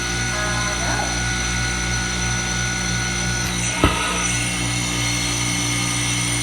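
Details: Manitowoc ice machine running: a loud, steady mechanical drone with a rough grinding roar and hum throughout. Cause not pinned down.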